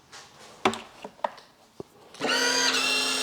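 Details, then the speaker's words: Honda Fireblade with exhaust valve servo motor just refitted in original housing, reverting servo delete mod: a few light clicks, then steady buzzing electric whir holding evenly; servo doing its job, installed right way round. "it sounds like it's doing its job, so that's a good thing. I'll soon know if we've got it the wrong way around."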